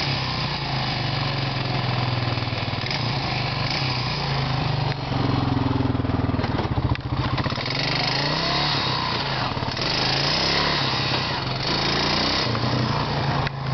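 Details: 2001 Honda 350 FourTrax ATV single-cylinder engine: fast, sharp ticking over a steady thump, much louder when driving and under load.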